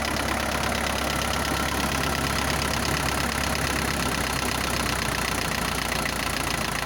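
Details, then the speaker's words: Isuzu NPR diesel, first start after 11 years parked, bad fuel, new pistons, sleeves and valves, cold at raised high idle: steady clatter with a quick valve-like tap that comes and goes and disappears once warm. "For some reason it has a little bit of a valve rattle or tap, like a valve adjustment, but it comes and goes. As soon as it warms up, it goes away."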